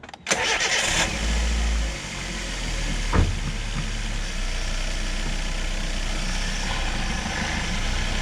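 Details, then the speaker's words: Chevrolet Spark/Beat after replacing the cooling-fan resistor (GM 96656660): engine idles evenly with a steady fan rush, no chatter or dropout; the low-speed fan now engages and holds properly. "Ahí está ahora sí ya entra la velocidad Baja como pudieron ver ya funciona"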